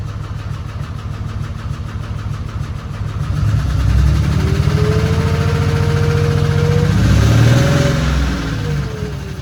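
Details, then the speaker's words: 2008 Dodge Ram 3500 6.7 Cummins diesel, first start, no oil pressure reading seen: deep rumble rising and falling with revs, steady pulse near 220 per minute; runs and drives but an unidentified unhealthy noise, cause unknown. "What is that noise? It doesn't sound very good, but it does run."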